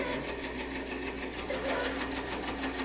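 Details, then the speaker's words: Running band saw ticks steadily, a few times a second; the blade visibly moves, pointing to a poorly welded blade joint that is slightly off. "hear that ticking uh it sounds like the the the joint where the blade is welded together is and actually you can see the blade move a little bit so I would say that that joint is is off a little somehow"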